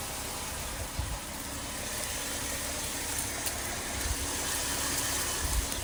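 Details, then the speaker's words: 2019 Dodge Durango, cold start just after backing out: steady even idle with only a faint light tick, no rattle; normal. Owner's rattle complaint appears only after 10–15+ minutes of driving, at idle in park or slowing. "I mean, so far the sound to me seems pretty normal. Nothing too crazy. Maybe a slight little tick, but nothing too crazy."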